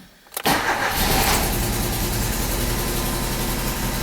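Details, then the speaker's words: 1994 Alfa Romeo 33 Imola 1.4 L 90 hp fuel-injected boxer, idling with one spark plug wire deliberately disconnected: cranks, catches, then runs unevenly on three cylinders; demonstrates misfire from bad plug wire, original complaint unstable idle and low power. "so the car is now going to work only in three cylinders and I know that is the bad wire because I've already changed the spark plug wires but I'm just illustrating the problem for you guys to see"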